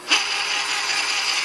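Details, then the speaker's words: 9x19 benchtop lathe gear train under power feed with clutch engaged; previous owner's crash stripped gear teeth, replacement metal gear meshes tightly with no mesh adjustment; steady high thin gear whine, stops when feed disengaged; cause suspected, not confirmed. "can hear the gears whining now"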